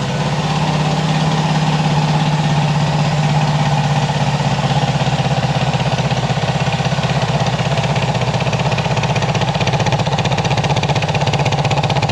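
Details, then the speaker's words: Honda CB360 twin: fast idle beat that turns uneven and lumpy at times, as if one cylinder drops out now and then; intermittent misfire, owner suspects a failing coil. "oh yeah we'll see i guess the old ear you know says that's that sounds pretty good you can hear when one cylinder is down though"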